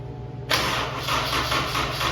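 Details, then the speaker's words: F24 first start attempt on the newly built motor, no belts fitted: starter drags the engine round slowly in labored pulses about three a second; owner suspects a weak battery, later boosted with a converter. "it might be more battery"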